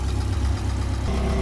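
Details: Opel Corsa C utility 1.8 L 4-cylinder 8-valve petrol after water pump replacement, water-filled, old fan belt, warming toward operating temperature: low steady even idle, no knocks, squeals or misses, no leaks; normal.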